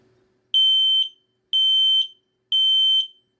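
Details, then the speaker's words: X-Sense talking smoke and carbon monoxide alarm self-test via test button: three loud, shrill, evenly spaced beeps about a second apart with voice announcing smoke and CO sensor tests finished, normal working status. "Testing the carbon monoxide sensor. The test is finished. Normal working status."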